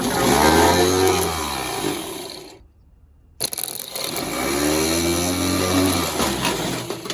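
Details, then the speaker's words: Starter removed from a 47-year-old International 3300B skid steer (Wisconsin V4) and bench tested: a clean whine that rises and falls twice as it spins up and coasts down freely. The starter works. "since we've got the starter out I'm gonna go and try to bench test it"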